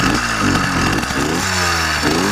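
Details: YD100 two-piece-cylinder two-stroke with PWK21 carburetor on a ride, taking off around quarter throttle: uneven buzz with wavering pitch and stumbles, spit and sputter off idle first mistaken for rich but actually lean.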